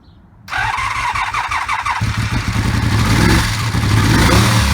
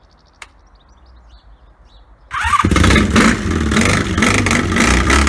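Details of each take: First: 1984 Honda V65 Magna VF1100C barn find with open pipes, first start after sitting: catches after brief crank, then runs lumpy and uneven with a loping beat; owner believes it is running on only two cylinders, smoke from bike spray burning off. Engine misfire. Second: 1984 Honda V65 Magna VF1100C barn-find motorcycle with open pipes, first start after sitting: a four-cylinder fires after brief cranking and settles into a loud, deep, steady burble with clean revs, WD-40 burning off; running healthy.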